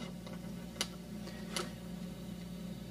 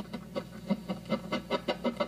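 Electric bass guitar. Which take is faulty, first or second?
second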